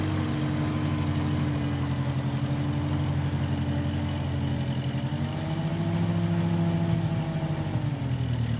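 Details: 1955 Massey Ferguson MF65 tractor, run after sitting a couple of years, carb cleaned; owner thinks the Marvel Schebler carburetor needs slight dialing in. Steady low drone, smooth even firing with a slight pitch lift midway: normal running.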